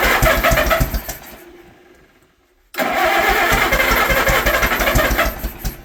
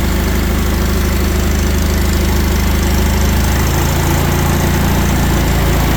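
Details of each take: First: Old Allis Chalmers tractor, barn find stored about 20 years, with the original crank start, on its first start after the motor was cleaned out and given little fuel; chugs unevenly and fades, then refires with a sharp bang and ragged beats; backfire on starting. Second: Old Allis Chalmers tractor, a barn find stored for 20+ years, firing up on choke and ignition after the motor was cleaned out; steady, even low chugging at slow idle with no misses or knocks, running smoothly despite a hydraulic leak.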